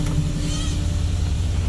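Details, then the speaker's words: Junkyard 5.3 LS V8 in a 2002 Camaro, stock cam, first run after install, water leak from reused water pump gaskets: steady, even low rumble with no knocking or ticking, described as sounding weak, like a sewing machine; oil pressure fine, normal running. "all right guys so i got it running it sound weak sound like a loud old radio sewing machine"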